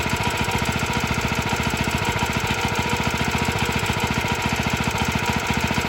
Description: It’s a little rattly but doesn’t sound as bad in person.